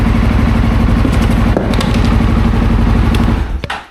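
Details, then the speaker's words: CFMoto CForce 600 ATV, previously no dash lights or start from a dead battery, after battery replacement: fires straight away into a quick, even thump about four beats a second, no misses or rattles; normal start and idle. "Let's hit the starter. Look at that. Started right up. So, that's definitely what was happening with it. The battery was totally shot."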